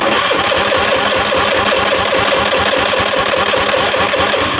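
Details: Honda Vario 110 FI scooter with intermittent injector spray, testing with a new injector: starter churns steadily about two and a half beats per second with no firing; cranks but won't start, injector likely not the cause (later traced to damaged pulser wire).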